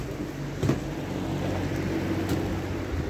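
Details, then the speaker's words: Holmecrest 2-speed metal box fan running on its low setting, which feels more like medium: steady low whooshing hum with a choppy, pulsing blade beat typical of these metal box fans, no scraping or rattle; normal blade noise. "It's a bit noisy. Like, it has a choppy sound to it. A lot of the free blade metal box fans, they sound like this."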